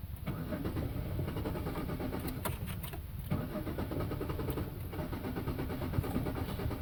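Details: 2001 Chevy Monte Carlo: the starter spins the engine at an even rhythm for several seconds but it never catches or fires, so it cranks without starting.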